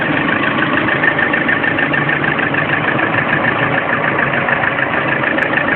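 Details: Lada Priora engine warm at idle, 5000 km, knock first appeared at 400 km: fast, even ticking knock about three beats a second over the engine hum; source inside the engine undetermined.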